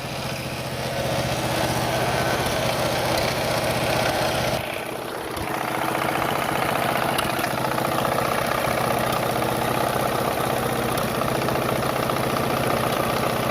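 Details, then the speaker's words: Single-cylinder Briggs & Stratton Intek mower engine after carburetor fitted: light, uneven tapping through the exhaust note, heard only on throttle; owner suspects a knock or possibly an exhaust leak, cause not confirmed. "Man, are you serious? sounds a little knocky. Definitely has an exhaust leak, I think, too."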